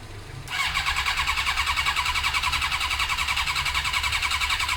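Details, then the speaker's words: Suzuki GSX-R cranking on the starter about three and a half turns a second, never firing despite spray into the carbs: no spark; fixed by fitting a second-hand original ignition unit with the resistor. "I'm pretty dead set at this stage Tyson sparking because we're spraying stuff in the carbs straight into the engine and it's not doing anything"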